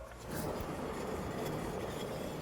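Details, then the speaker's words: Renault 5 GT Turbo on a ramp after sitting: dry, gravelly rumble as the front wheel is spun by hand; front wheel bearing worn out. "that is knackered if you want to doubly check it's not the disc and it is a wheel bear and you just hold the spring and then you can usually feel the bearing noise through the spring as well but yeah that's more than likely our problem"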